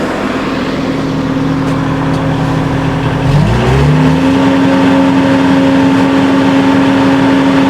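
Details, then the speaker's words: Kubota skid steer diesel throttled up from idle: a smooth rise to an even higher drone with no rattle this time, although it rattled on throttle the two previous starts; the cause is unknown. "As you can hear, everything sounds perfectly fine."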